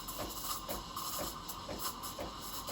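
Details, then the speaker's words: Breville Barista Pro BES878 steam wand, jug angled, wand near milk surface: steady airy hiss with soft rhythmic paper-tearing chirps as air is injected into milk; normal foaming. "This noise indicates that I'm injecting air into the milk. I'm giving you that foam, that texture."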